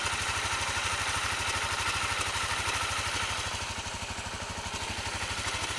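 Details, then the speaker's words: Honda CRF250L with EJK fuel controller, idling at a stop in first minutes of riding, clutch in or out: quick even ticking knock from top end in step with engine, quits after a few minutes; cam chain tensioner knock. "it starts making the noise and uh I'll hear it when I stop for a light or whatever and uh regardless if the clutch is engaged or not it'll do it"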